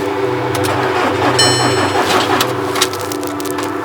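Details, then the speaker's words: VW Caddy swapped from 1.6 TDI to 2.0 CR140 with DSG, first crank: steady starter churn around three compression pulses a second with no catch. Suspected fuel-related; a fuel line on the secondary fuel pump was missing or unplugged. Crank, no start. "he cranks. Oh my dead. Right. Got to be fuel. Has to be fuel related. It's got to be fuel. She cranks."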